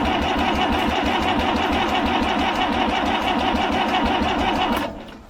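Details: International B414 four-cylinder diesel tractor, seized after sitting 20 years by a pond, cranked after freeing what is probably the glow plug contactor: steady starter churn, about three compressions a second for five seconds, never firing; ether considered next.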